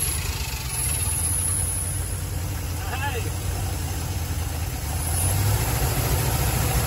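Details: 1974 Dodge B300 Minnie Winnie with a 360 V8, started after the ballast resistor was replaced, not yet hot. Steady low rumble ticking over evenly with no misfire or stumble. Runs and idles normally, though coolant is pushing out of the overflow.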